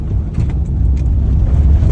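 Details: Maruti Alto on a test drive after repair: steady low road rumble with no knocks or rattles. The earlier rattling noise above 40 on paved roads was fixed by fitting two nuts.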